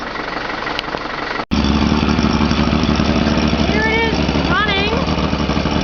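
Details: 1983 Mercury 50 hp Blue Band Thunderbolt-ignition outboard after a starter motor rebuild: after a brief cutout it catches and runs with an uneven, stumbling beat. Owner notes no gas to the engine and a weak battery; running rough, cause unclear.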